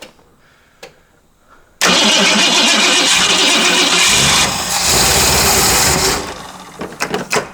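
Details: 1955 Ford Mainline ute custom with a 302 Windsor V8 and C6 automatic, on a weak battery plus jump starter: silence, a few seconds of cranking, then a loud rough idle; starts fine.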